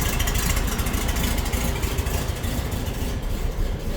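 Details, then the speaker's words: 1952 VW Split Window Standard Beetle, 25 hp flat-four through stock exhaust, just after easing off the choke: steady, even low chuffing settling into a smooth idle; healthy, normal idle. "and there you go. Love the sound of a 25 horse through a stock exhaust."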